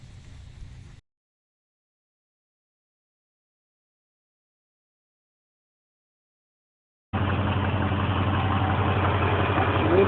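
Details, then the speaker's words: 5.7-liter 350 LT1 V8 with throttle body and Hypertech timing tune: after a quiet gap, a steady, even idle with a regular low rumble and no misses or knocks; sounds healthy. "but she sounds good i got her to find my idol right you"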